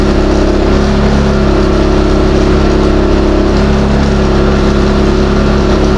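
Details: New Westinghouse iGen4000DFc dual-fuel generator, first run out of the box, powering an air compressor at about 1400–1700 W and 122 V: a loud drone holding constant pitch without surging. Normal under load.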